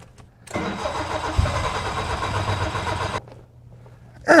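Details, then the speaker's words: 1972 BMW 2002 in a suspected flooding condition, started without pumping the gas, then full throttle to clear it: starter cranks, engine runs raggedly about three seconds, then dies. Hard start, catches then dies. "ran fell on his face"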